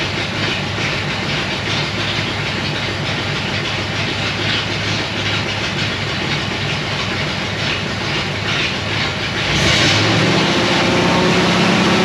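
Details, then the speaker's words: 1937 Ford taildragger, 59AB flathead with dual exhaust, about 80°F humid: steady, evenly spaced quick beat, then revs step up; misfire/no-run fixed by swapping failed new cheap condenser for an old used one. "there we go it was a condenser the cheap freaking junk condenser i bought from whoever bob drinker that one of the hot rod places had failed"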